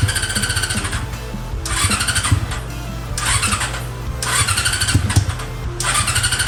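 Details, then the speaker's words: Honda CB400 engine with four square Keihin carburettors in an off-road buggy, being tuned: blips up hard to full revs in repeated bursts but drops away and will not idle; owner suspects not all cylinders firing, cause unknown. "ก็มันเบิ้ลได้นะครับมันเบิ้ลได้สุดเสียงเลยแต่ว่ามันเดินเบาไม่ได้ครับ"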